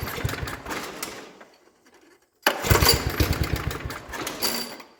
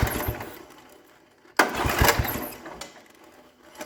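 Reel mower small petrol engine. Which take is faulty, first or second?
second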